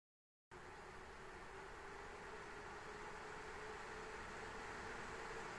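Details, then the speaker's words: ASUS ROG Strix RTX 3090 in an XTIA case under load at stock: steady loud rushing air with faint hum, no ticking or grinding; louder than expected, suspected turbulence from fans blowing against each other. "I'm going to be honest with you right now that was a lot louder than I thought it was going to be now I'm starting to believe that there could be turbulence with the fan noise hitting fans on the other fans"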